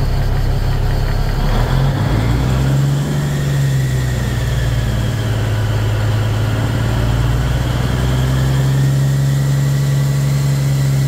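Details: Cummins NT855 Big Cam diesel after rocker install and valve/injector adjustment; deep, steady idle with an even beat, no ticking or knocking; normal.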